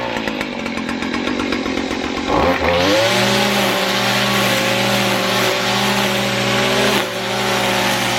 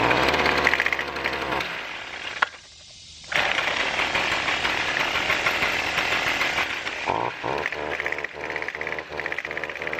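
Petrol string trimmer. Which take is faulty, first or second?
second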